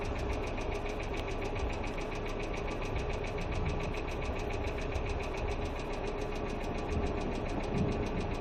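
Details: Hyundai Accent II at idle: fast, light, even ticking rides over a steady idle, keeping time with engine speed; noisy hydraulic lifters in the valvetrain.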